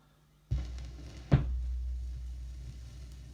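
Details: Cheap secondhand vinyl record after cleaning with a spray bottle, compared with its earlier noisy playback: needle-drop thump, then only a faint low hum with very little crackle or hiss; quiet playback.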